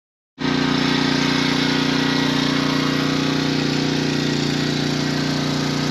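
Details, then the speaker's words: Pressure washer with replacement pump (4-bolt, 3/4 inch shaft): steady even engine drone with constant pump hum, no misses, knocks or surging; working properly after the repair. "All I know is right now it's working."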